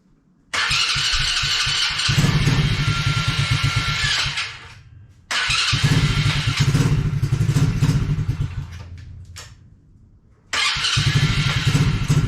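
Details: Coolster 110cc fully automatic quad that sat two years, first start attempt: the engine catches, runs ragged and dies repeatedly, keeping going only on choke. The overflow leaks, suggesting the float is stuck open or at the wrong height.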